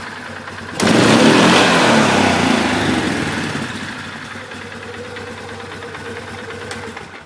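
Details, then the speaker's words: 2011 Polaris Sportsman 500 HO after airbox intake modification, airbox sealed tight: engine catches, flooded slightly, revs briefly, then settles to a smooth steady idle around 980 rpm, rising slowly. "Flooded a bit when I did that, but RPM staying around 980s, going up slowly."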